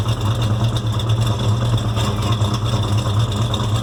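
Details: 1970 Chevelle SS 396 V8, freshly built and dyno run-in, at idle: light, uneven lifter-like tick over a deep idle that follows engine speed; found to be a rocker arm that had worked loose.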